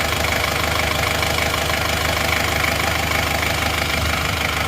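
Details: 1990 Chevrolet Trooper diesel after an engine overhaul, warm at 75°C with the thermostat fitted: a smooth, even idle clatter about twice a second, with no knocks and no smoke; a normal, healthy idle.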